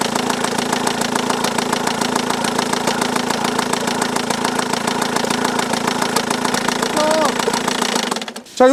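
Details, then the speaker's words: Volkswagen Tiguan diesel idling with a busy uneven clatter, timing cover removed: timing belt half torn and about to break, letting valve timing slip; torn timing belt with slipped valve timing. "Regardez, la courroie de distribution est cassée en deux. Regardez ici. Elle fait du bruit."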